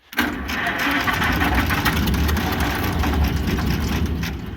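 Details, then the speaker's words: International Harvester McCormick 64 pull-type antique combine engine, long-forgotten, first start: catches almost at once and settles into a somewhat uneven low chugging run, with oil pressure; old engine starts and keeps going. "Oh, it sounds good. It's got oil pressure too. Oh, it sounds good."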